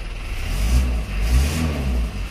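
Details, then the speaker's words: Isuzu Panther diesel after glow plugs heat: it catches quickly and settles into a deep, even chug with smooth revs. A normal start, with no misfire or knock. "Nah, harusnya nyala seperti ini teman-teman."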